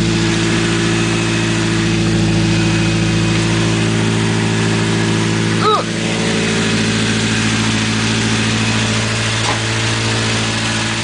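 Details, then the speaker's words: 1980 Triumph Spitfire 1500 with Weber two-barrel carb, just started from freezing cold: steady high warm-up idle around 2,500–3,000 rpm with a smooth hum, no knocks or misses; normal warm-up idle. "you just love the incredibly high idle it's always really good for a freezing cold motor to go up to 2 500 or 3 grand"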